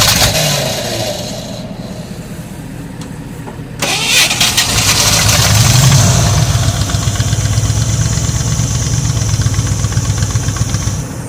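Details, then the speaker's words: 1985 Ford Bronco (title says 1986), pasture find, first start in 8 months after puking coolant from an exhaust pipe; oil squirted down the cylinders. Engine catches and revs but runs lumpy and weak, on about six cylinders. Cause not confirmed. "it don't run good but it runs well it was good shenanigans while i lasted we got it up here and tried to back it up of course it didn't have any power because it was only running on about six cylinders anyway"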